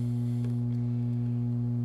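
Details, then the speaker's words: Guitar amp with a dirty power supply, after an extra filter capacitor was added: a constant deep hum, roughly halved but still present, and still no output. The filtering remains inadequate. "so the noise has gone down by probably half because of adding another cap but right there that is a good sign of how dirty my power supply is"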